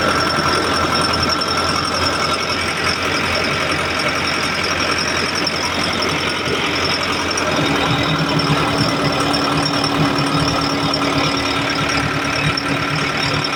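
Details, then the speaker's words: Backhoe diesel after no-start repair, clogged newly calibrated injector cleaned and refitted; steady even idle with no misses or knocking, running healthy. "So yun guys operation na yung Bak ho so sana naging okay na ito no so goods na goods"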